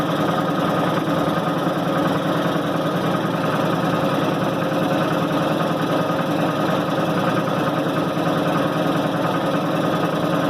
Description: My 1990 Maytag LA211 is making a dramatic groaning noise on the spin cycle.